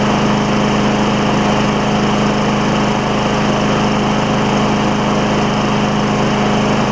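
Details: Craftsman mower, Tecumseh Vector engine, first run after a carburetor replacement, air filter off, burning off some oil: steady, even high buzz at constant speed with no surging or misses. Running normally.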